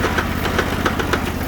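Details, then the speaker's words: Sears Suburban garden tractor, fourth transaxle failure this year, after moving firewood: steady idle with a repeating knock, several sharp taps per second; chain slap ruled out, failing transaxle. Knocking. "you guys hear that yeah what's this sears transmission number four for this year so i thought originally it might have been a chain slapping or something"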